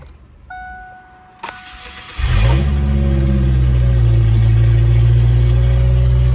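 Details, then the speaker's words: 1993 Ford Ranger 2.3 L, 2WD, after replacing the fuel pressure regulator to fix overnight fuel pressure loss: short crank, catches within seconds and settles to a steady even idle; a clean, normal start. "All right, that's a good start."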